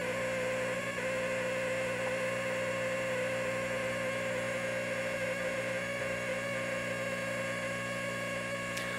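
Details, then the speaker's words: Polaroid FLM3732 37-inch LCD TV after power-on: a steady electrical buzz with a tone near 500 Hz, sometimes lasting 10–15 minutes, from two bad, overheated, bulging 10V 1000µF capacitors on the power board; fix is 16V 1000µF replacements. "yeah so the problem with this TV is that there are two bad capacitors on the back of the TV on the one of the boards"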